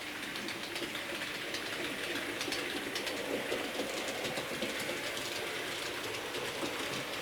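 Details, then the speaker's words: J36 "Haig" model steam locomotive after oiling push rods, tender and engine bearings and greasing the driving cog: soft even whirr with light wheel clicks, earlier grinding from dried-out lubrication after months unused now gone. "Well, you remember the awful noise this was making going through this part of the track. There we go."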